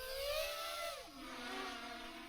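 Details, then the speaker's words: FPV drone running INAV while testing the new LULU filter (smoother) in flight: a smooth high whirring of motors and propellers slides down then holds steady with a hiss on top; some noise may be getting through, but it flies fine. "You can hear the humming of the motors and the propellers. So maybe slightly too much of the noise is actually getting through, but it's 100% flyable"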